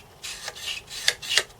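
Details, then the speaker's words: Atari 1050 floppy disk drive (Atari 8-bit) during cleanup: dry, scratchy rasping as the dusty head carriage is slid back and forth by hand before lubrication; rough, noisy head carriage travel. "yeah that is really noisy you can hear that it as a move"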